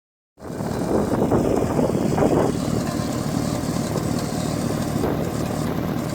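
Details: Mitsubishi Evo 8 idling roughly: uneven exhaust beat with irregular stumbles from a misfire. Vacuum and boost leaks were checked and found fine, and the spark plugs were already replaced.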